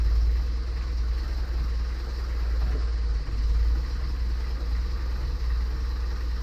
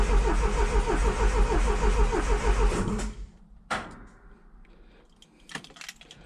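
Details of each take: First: 1977 Triumph TR7 idling on an auxiliary fuel tank feeding the mechanical fuel pump, after an easy-start attempt: deep, even, smooth idle with no misses or knocks. The viscous fan is broken and rattles. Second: 1977 Triumph TR7 cranking out of gear: even, healthy turnover at about three compression pulses per second, but it never fires.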